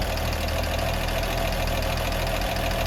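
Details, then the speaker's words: Warm idle on a very hot day: even, steady idle with a smooth low rumble and no misses or tapping; engine runs as it should. "But for the most part, it's running nicely. Sounds like it should."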